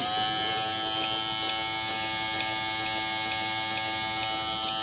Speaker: Okay, smooth as silk, no smoking. It's good to go. Ready to go.